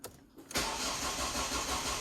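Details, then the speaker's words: Ford Focus after cam cover refit, injectors unplugged to prime oil system: after a click the starter spins at steady rhythmic whirr, engine never fires as intended; oil light now off. "right okay guys so we are all back together uh apart from the injectors that i've unplugged here because i'm trying to get a little bit of oil up to the system"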